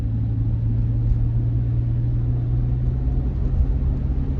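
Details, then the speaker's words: Van with repaired 400 engine, after crankshaft seal, water pump and timing cover work; driving under load, deep steady even drone, no knocks, ticks or surges, running tops. "this thing is running tops I'm telling you Steve was such a good mechanic"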